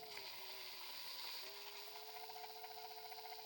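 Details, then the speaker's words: Ridgid subcompact drill driver, used only two or three times: motor whine with uneven chattering, clunking rattle and brief catches in pitch, something in the gear mesh sometimes stopping the drill and blinking the light. "This one, like I said, the gears, they make like a chattering, clunking noises. Sometimes it does it more than others."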